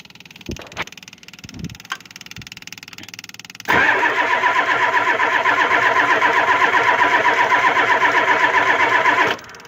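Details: Ford 7.3 IDI diesel cold with glow plugs not heating, WD-40 sprayed into the intake: even, quick cranking near four beats a second for six seconds that never catches. WD-40 didn't work.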